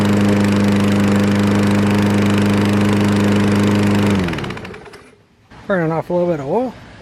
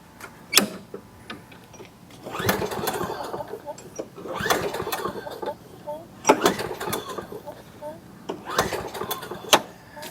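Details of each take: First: Fairly new Craftsman 7.0 mower, formerly a no-start with air filter missing, running after repair while burning off leftover oil: single-cylinder holds steady even drone about four seconds, then shuts down cleanly; healthy. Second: Fairly new Craftsman mower, 7.0 engine with auto choke, air filter missing: four or five pull-cord rips, each a fading rasping whir with no firing; fired on carb cleaner, traced to water-contaminated fuel and varnished carburetor. No-start.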